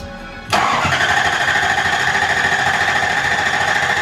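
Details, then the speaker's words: Lexus LS400 drift-project car, first start attempt in a long time: starter spins steadily about four seconds at even pitch but never fires because the fuel pump was switched off; crank no-start, fuel pump off. "Yo, fuel pump. Fuel pump's gotta be on. There you go. There you go. That helped."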